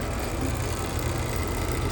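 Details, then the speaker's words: Fairly new AC condensing unit: heavy constant low hum and buzzy drone, strong vibration along the suction line traced to the compressor itself and carried through the wall indoors; compressor vibration. "It shows that this vibration is from the compressor. Even when you hold it like this, you still feel it."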